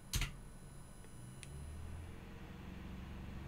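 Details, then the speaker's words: QuinLED ESP8266 LED controller pulsing 12V to a 3-pin non-PWM 12V computer fan at full setting (1023): after a brief click, a soft, steady low hum with no whine or ticking; the fan runs normally at full speed. "and full speed it well it just works"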